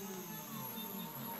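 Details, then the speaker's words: Three stepper motors on a TB6560 3-axis driver board under Mach3, with the Z axis moving to position 10 while cutting layered circles. Gliding, shifting, musical tones as the axes move together, a clean, even whine: working as expected. "you can hear it our three motor worked just as we expected and have you hear the song that's very interesting very great and you can see our motor just worked as fine as we expected it's just beautiful"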